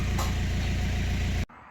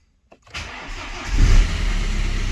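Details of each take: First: BMW 118d/120d with two-litre N47 diesel, red oil pressure light and no brake pedal: idles with a heavy, regular deep knock, loud and uneven, then cut off; serious internal knock, engine possibly dead, cause unclear. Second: BMW 1 Series N47 2.0 diesel that had a bad knock and red oil pressure light, started after repair with very low fuel: brief crank, clean catch, one flare, then a steady, even idle; engine sounds healthy.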